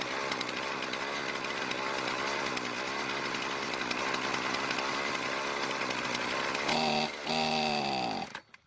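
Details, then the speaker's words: Poulan Pro two-stroke trimmer after new fuel lines: runs steadily, bogs and dies within a second when trigger squeezed; lean stall, richen idle screw nearer engine a quarter turn counterclockwise. "it died when I squeeze the trigger we'll need to use a special spline screwdriver to add more fuel to the engine when at idle"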